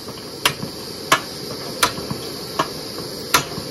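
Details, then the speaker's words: Primus 535 twin-burner kerosene stove, right burner finishing preheat: sharp pops about every 0.7 s over a quiet hiss as liquid kerosene flashes to vapour, surges back to the tank and cools the burner, turning the flame yellow; fix is brass-mesh surge restrictor. "you can see that the flame is starting to turn yellow that's because there's liquid kerosene the burner has been cooled off by the liquid kerosene that's been pulsing back and forth in the fuel line and causing the burner to cool off with each explosive detonation of the kerosene liquid fuel into kerosene vapor"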